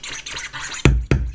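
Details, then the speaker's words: Brand-new NS7FX DJ controller run with a MacBook Pro 2.0 GHz quad-core: hissy scratch sounds broken by loud sharp clicks/pops from the speaker, and the limiter engages; it works fine with another MacBook. "I get this clicking sound from the speaker and then limiter also engages"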